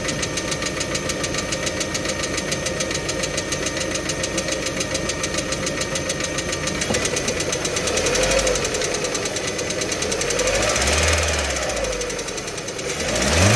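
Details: Hard, rapid engine knock of roughly three or four a second that runs throughout and quickens and swells as the engine is revved; the owner is asking what is knocking.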